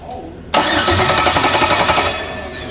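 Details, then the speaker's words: Engine with a crank-no-start: the starter whirs steadily for about 1.5 s, but the engine never fires; spark is present. "So we have a crank no start. So the first thing I'm going to do is check for spark."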